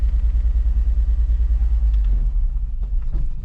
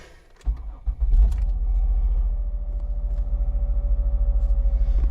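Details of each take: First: 2005 Mazda Tribute 3.0L with check engine light, runs rough with misfires on cylinders 1, 4 and 3 per scan tool: deep, lumpy, stumbling rumble; won't stay running without throttle; owner had it towed home. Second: 2005 Mazda Tribute 3.0L V6 that ran rough with misfire codes, after replacing PCM, ignition coils and spark plugs: engine catches quickly, settles into an even steady low pulsing idle, no stumble; all cylinders firing smoothly.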